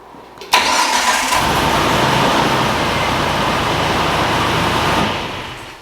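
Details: Jeep TJ with a new starter that only clicked, during wiring troubleshooting of winch and fuse panels: starter turns briefly, engine catches cleanly and settles into a steady even run before shutting off; starts normally.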